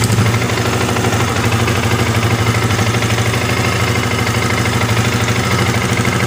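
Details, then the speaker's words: Yamaha R15 motorcycle after adjusting the cam chain tensioner and refitting its adjustment hole cover: smooth even idle, regular light beat, earlier rough ticking gone; fault was the tensioner, not the still-good cam chain. "Suaranya menurut saya ini sudah ada perbedaan Pak. Di sini suaranya sudah gemitiknya, suara kasarnya sudah hilang Pak ya."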